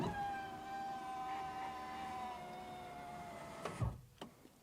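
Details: Subaru frameless door window after replacing the destroyed window regulator and retightening the glass guides: a smooth, steady motor whine as the glass travels up, then a solid thunk as it seats. The window motor and regulator work normally.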